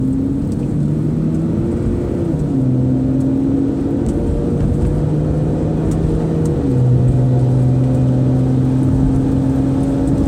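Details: 2005 Saturn Vue at higher road speeds: a low droning hum under heavy road noise, its pitch shifting in steps as speed changes. It persists after both hub bearings were replaced; cause unknown.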